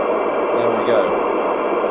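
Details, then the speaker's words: 1997 Jesan 88-900 CB27/81 UK FM CB base station, revived from scrap after rewiring the front panel, first power-up at lowered volume. Steady receiver hiss with faint voice-like bursts, then squelch cuts it off cleanly; normal receiver noise and squelch. "And it's come on. Let's put the camera back to normal. Squelch working."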